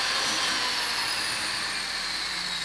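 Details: Jewelry flex shaft motor running at roughly 9,000 rpm, about half its 18,000 rpm maximum, a suitable polishing speed: steady high whine at an even pitch, running smoothly.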